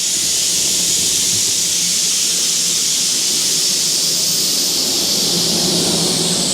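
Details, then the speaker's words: Shop compressed-air line during Nissan Pathfinder CVT fluid fill: loud, steady high hiss, unchanged throughout, as air escapes because a valve was left open; compressed air leak. "we got a leaker what's leaking oh you didn't shut the valve"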